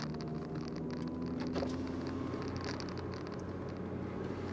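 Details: VW Golf 4 engine running: light, uneven metallic patter over the hum; rattle from a wrong-size exhaust coupler fitted over a broken exhaust pipe.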